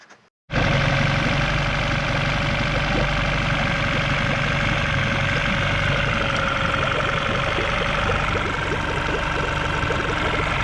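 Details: Yamaha 9.9 four-stroke long-shaft outboard just after a head gasket replacement and clearing of salt-plugged ports: catches within a second into a steady, even drone; running healthy.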